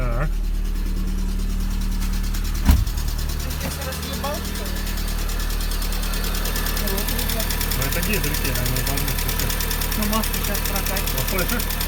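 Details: Engine (14) first start, oil still being pumped up: catches after cranking and settles into an uneven idle with light, irregular tapping on top, probably hydraulic lifters before oil pressure builds.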